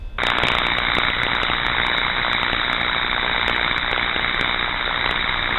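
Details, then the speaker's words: Electrical insulation fault advancing past the corona stage: harsh steady hiss with irregular sharp crackles and pops; electrical tracking. "And we may now move into hearing something called tracking."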